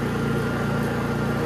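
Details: Honda EU3000is inverter generator after a Nashfuel propane/LP conversion kit install: steady, even low drone with a smooth regular pulse and no misses or surging; it idles healthy.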